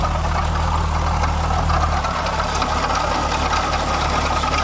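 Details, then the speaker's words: MK4 12v VR6 idling before water pump replacement: gritty marble-like rattle over the steady hum from a failed water pump bearing, pulley visibly wobbling; new pump made it smooth and quiet. "Before, I'll put a clip right here. If you didn't see the last video, it was literally marbles."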